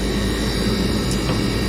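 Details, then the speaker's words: Furnace inducer motor that had frozen and locked out the system, freed by hand spinning: steady droning hum with thin high humped whine, worn and near end of life; may freeze again, needs replacement; dirty filter noted. "you can hear it kind of has like a weird humped whining sound to it you can tell that it's getting really old"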